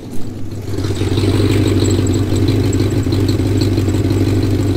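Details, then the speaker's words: 1986 Mustang GT V8 at idle, about to go on the hoist: a loud, raspy rumble from a bad exhaust leak, with a faint high chirp coming and going that the owner suspects may be a pulley. "so here we go guys i'm going to bring it inside and uh get up on the hoist take a quick look underneath might as well give you guys an opportunity to hear the horrible exhaust leak"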